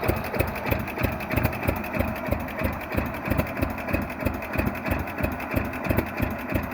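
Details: 1948 John Deere B two-cylinder converted to propane, enrichment valve set rich when cold and can be leaned as it heats: slow, even putt-putt about three beats a second, no misses or knocks; healthy warm idle.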